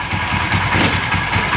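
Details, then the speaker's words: Old motorcycle after replacing the ignition coil: engine starts and runs with an even, steady beat, no ticking or misses even when revved; normal running. "இப்போ வண்டி start ஆகிடுச்சு. Press பண்ணால் கூட அந்த sound எதுவுமே வரல."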